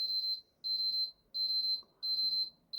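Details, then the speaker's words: PS4 eject button after lifting the drooped contact spring back up: crisp high beep about every 0.7 s, each press answered cleanly in a quiet room; eject button now works every time. "and as you can see the eject buttons working every time give it a few beeps"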